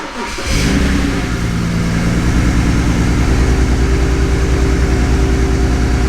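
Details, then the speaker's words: Salvage BMW 335i E92 bought from Copart UK, started with engine light on: uneven, lumpy idle with irregular low pulses; sounds like a misfire. OBD shows heater control circuit bank 1 sensor 2 faults; cause not confirmed. "I can hear the engine as well. They don't sound right."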